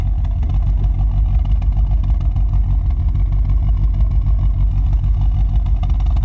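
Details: Mk2 Golf GTI 16v, 1984cc engine with head and cams, at idle by the tailpipe: uneven, choked, pulsing chuffs about three a second that caused idle trouble. The cause is a badly designed rear silencer where the gases hit a baffle wall.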